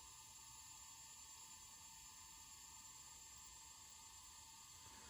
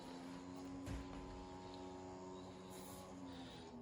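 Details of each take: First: Hitachi 20 GB 2.5" IDE hard drive made July 2001, run through a USB IDE connector, from an HP Pavilion N5445 laptop (~2001): steady high-pitched spindle whir with a fine hiss, louder than it should be; owner suspects wearing bearings. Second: 2001 HP Pavilion N5445 laptop booting to BIOS with quiet 80GB IDE hard drive; faint steady hum of something spinning up, then quieting down; normal spin-up, nothing abnormal.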